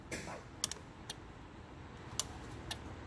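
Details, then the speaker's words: 1986–87 ABS brake system test: with power applied to the ABS pump motor, only sharp isolated relay clicks are heard over a quiet background and no motor whir follows, so the pump motor is not working. "you could kind of hear the relay get a clicking and nice now we know the motor is not working it's only coming on"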